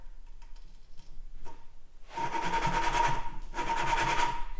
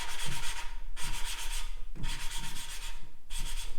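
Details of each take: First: 1950s Case 311 tractor valve job: gritty rasping strokes as a valve is hand-lapped in its seat with coarse compound on a suction-cup tool; the grinding has not yet smoothed out, so the seat is unfinished. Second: 1950s Case 311 tractor valve job: lapping a valve by suction cup with coarse compound, soft even rubbing strokes about once a second as the grinding smooths out, showing the valve has seated.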